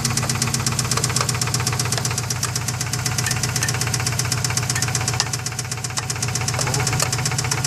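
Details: Subaru engine, mystery noise: sharp, steady knock about four times a second through the idle, clearly above the engine hum; listeners can't place the side, possibly passenger side. Origin unknown.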